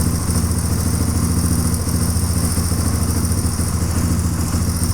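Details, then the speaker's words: 1997 Suzuki DR350 with a new flywheel key, fitted for backfiring and erratic idle: single-cylinder thumping at about 3.5 beats a second, idling fast with uneven spacing; owner suspects an electrical problem; high unsteady idle. "right now it's running so good I need a kill switch to turn it off the idle's not steady"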